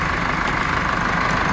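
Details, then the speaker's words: Chevrolet S10 at idle after A/C compressor bracket installation: steady constant-pitch high whine above engine murmur; mechanic suspects alternator bearing, not confirmed; alternator whine. "montado esse barulho meio estranho o alternador vamos informar o cliente do alternador com esse ruído deve ser o rolamento"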